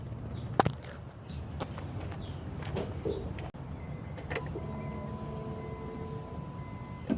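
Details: 2008 Honda Civic, noise when steering: low rumble with scattered clunks and a drawn-out creaking groan as the wheels turn; worn front shocks and struts, and replacing them made the noise go away.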